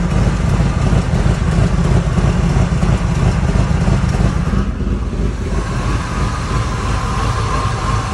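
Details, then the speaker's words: 1998 Ford Expedition 5.4 V8 with a rebuilt engine and check-engine light: lumpy, rough idle with stumbles and weak exhaust. Codes include intermittent MAF; the MAF housing bottom grommet was not seated, leaking air before the sensor. "all right so i turned it on and it sounds like a little misfire sounds pretty rough you can barely hear the exhaust"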